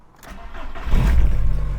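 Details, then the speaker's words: 2000 VW Golf Cabriolet, fuel-injected 1.8 engine (GTI Mk2-type block), 86,000 miles, cold start before a full service: catches into a fast idle, ticking over smoothly, but with a puffing, chuffing edge from a blowing exhaust leak. "oh yeah and it's got the obligatory blow in the exhaust so why wouldn't it of course"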